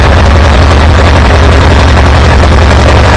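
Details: Farmall B tractor running after a weak ignition coil was replaced, restoring strong spark; steady low, even engine drone with no misses or knocks while under way. Good oil pressure. Normal running.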